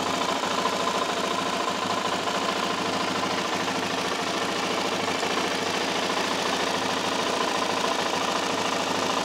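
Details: LTZ 400 engine at idle: a light, fast, steady ticking of about two per second over the single-cylinder idle, with no obvious source; engine ticking noise.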